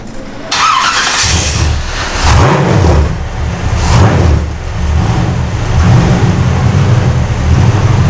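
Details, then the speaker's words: Custom 1956 Studebaker Sky Hawk started after a transmission swap, choke open, needing extra fuel, tank holding old gas and cleaner. Loud, uneven, surging beat with wavering speed. Rough running. "Oh, the choke's open too. Yeah. That's why it's gonna need a little extra fuel."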